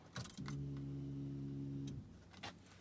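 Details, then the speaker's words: 2007 Skoda Roomster 1.4 petrol with P0171 lean code and large long-term fuel trims, heard at key-on beneath the seat: a steady low hum-whine running about 1.5 seconds then stopping, weak and strained; failing fuel pump. "first time i've been in as i said they're in underneath the seat and the pump doesn't sound good from here"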